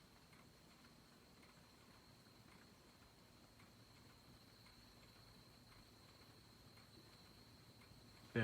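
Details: Hampton Bay Chatham ceiling fan from April 1992, left outside in rain, with bad bearings, on low: a quiet hum with a faint crackly tick about once a second and a thin high ringing from the light filament.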